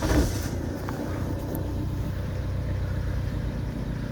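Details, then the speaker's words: 2009 Vauxhall Movano diesel school minibus, previous no-start with no engine ECU communication and flat batteries, running with blown fuse bypassed via power probe: steady, even low idle rumble, no knocks or misses; engine light on; normal idle. "now you can see that the vehicle is running. So the engine light's on."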